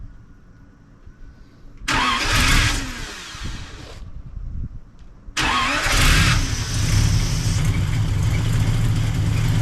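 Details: 1939 Buick coupe 248 straight-eight after new coil and points checked: two cranking attempts with a weak battery and slow starter, then the engine catches and settles into a steady, even run.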